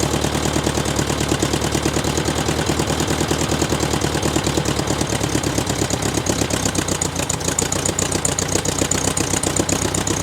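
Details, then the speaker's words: VW Beetle air-cooled engine just started after sitting seven months, following an oil change and carburetor replacement: idles with quick steady valve tapping and a faint occasional miss; accelerator pump issue noted. "You can obviously hear the engine tapping and missing a little tiny bit. We'll get that taken care of later on in the season."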